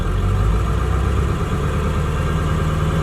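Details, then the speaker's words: Ford 7.3L Powerstroke diesel truck with motorcycle Hall-effect throttle wired via relays to ECU; sensor minimum thought to be around 0.7 V raises idle despite resistor divider; steady diesel idle stepping up to faster beat when switched: raised idle from throttle sensor offset. "So that means my idle's gonna be a little high. I put some resistor divider network and tried to get the idle down, but it's still too high to do clutchless shifts."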